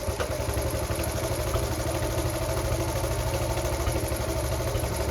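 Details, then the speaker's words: Restored Honda Cub C70, idle being adjusted with the air screw set where wanted: even, steady low putter at a settled idle with slight mechanical clatter and street background; normal idle. "I'm just having a bit of a play here that oh yeah I'll set it to where I want it though I think I think the air screw is where I want it"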